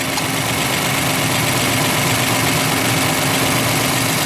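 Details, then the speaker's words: Ford F-150 at about 104,000 km, warm idle: light, quick tapping about four times a second, louder on one side, quieter than days before. Owner suspects a valve or hydraulic valve adjustment, unconfirmed. Oil rising, coolant dropping. "If we go over to this side, you can definitely hear there's a bit of tapping. I would kind of imagine these would have a hydraulic valve adjustment on them."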